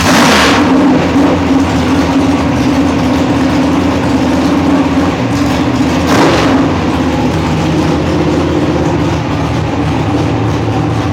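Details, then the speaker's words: Mechanically injected dragster engine started hot (about 180 degrees) using primer, on a cold 32-degree day with good air: sharp burst on start, then loud lumpy steady fast idle, faster than usual; normal fast idle. "again today it's all it's cold and I've got some really good air so it's idling faster than I usually idle it"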